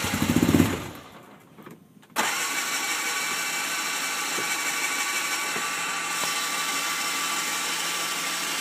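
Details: Hard-starting RZR with smoke coming from the back: a short labored crank, a pause, then the engine catches abruptly and settles into a busy, raspy idle.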